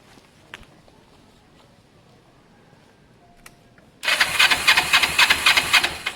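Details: Kawasaki ER5 twin, 62,000 on the clock, low fuel on reserve, rescue project nearly finished: starts first try and settles into a crisp, even idle of about four pulses a second, no fuel spill; healthy start and idle.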